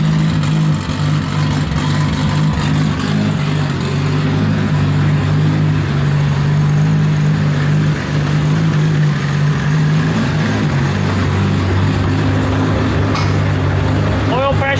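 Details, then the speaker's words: Nissan S14 240SX drift car, freshly rebuilt engine with raised compression, tuned and running slightly lean, first run after rebuild: steady smooth idle, no knocks or ticks, oil pressure 70–75 psi at idle, crisp throttle response; engine healthy. "chilling at 70 75 psi at idle response throttle response is great yeah everything looks good"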